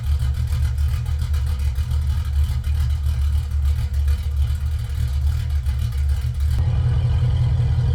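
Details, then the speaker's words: 1966 Chevelle LS2 V8 just after Brian Tooley Racing Stage 1 cam and new valve springs install: deep loud idle with uneven choppy lope, settling steady; normal big-cam idle. "So we're gonna fire it up now and listen to that lope, let the computer maybe learn a little bit, and go from there."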